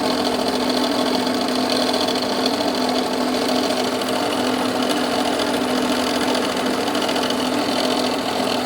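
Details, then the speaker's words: Jeep Renegade 2.0 MultiJet diesel running: light, fast clacking over the steady engine note, coming from the accessory belt area; knocking noise, belt to be removed to separate accessory side from timing belt; cause not yet confirmed. "pessoal então como vocês podem ver aí isso poder ouvir esse barulho ele vem aqui das Correias de acessório"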